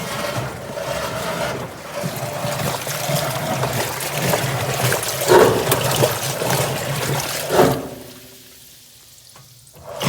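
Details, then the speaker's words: GE top-load washer agitating a small load: water churns with irregular heavy thumps and grinding as the sagging tub hits the bottom, worsening; worn suspension rods. "washers trying to agitate now this is a small load motor belt everybody's hitting the bottom and it's gonna get even worse"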